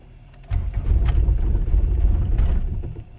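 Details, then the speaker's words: Honda Civic with a no-start complaint (other mechanic blamed the starting connection); ECU communicating and fuel pump priming; steady low cranking churn with uneven puffs as it almost catches; cranking and nearly starting. "oh man almost there you go"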